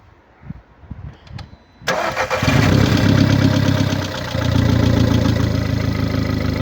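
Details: 2009 VW Golf MK6 1.4 petrol (CAXA, 90 kW/122 PS), 272,900 km: engine cranks, catches and settles into a rough idle with an uneven rhythmic puffing beat, caused by a defective head gasket.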